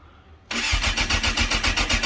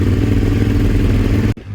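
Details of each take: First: Yamaha YZF600R Thundercat with 87,000 on the clock, hard to start, carbs needing adjustment, cold start on full choke with idle screw wound in: catches after a long crank and runs lumpy and uneven on choke; hard starting, cause suspected, not confirmed. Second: Suzuki SV650 twin started with clutch pulled in, no choke: fires straight away into a deep, even rumble with steady beat and no misses or knocks; starts and idles cleanly.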